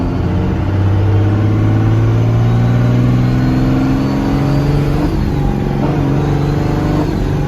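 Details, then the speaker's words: Manual-gearbox diesel burnout truck on a test drive: the drone climbs, the turbo starts to spool, then it flattens out and bogs with no power; owner suspects something unhooked, not confirmed. "It doesn't exactly light the turbo. It starts to, and then it's like it just kind of bogs herself down."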